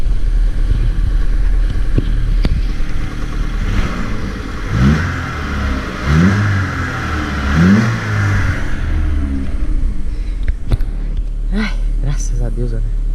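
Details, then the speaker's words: Corsa idling and blipped after the dented skid plate that was touching the engine was removed: smooth running with no buzzing or rattling from underneath; underbody vibration gone. "não está mais vibrando coisa boa hein"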